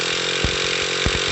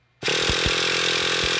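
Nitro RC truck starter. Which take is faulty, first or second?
second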